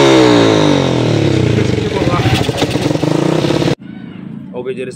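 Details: Yamaha Vixion single cylinder, converted from fuel injection to carburettor (injector had failed, wiring damaged, misfiring badly before), idles at an even, steady beat with no stumbling or misfire after the rewiring, then cuts off; normal idle.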